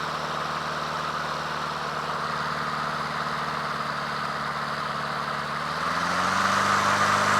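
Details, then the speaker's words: Honda HRT216 push mower at lowest idle after carburetor cleaning, which earlier surged at low idle: low even beat with no hunting, then smooth pickup near the end; fixed, normal idle. "See here, we're at the lowest idle now, right? Purrs like a kitten, man. Just so smooth, you know?"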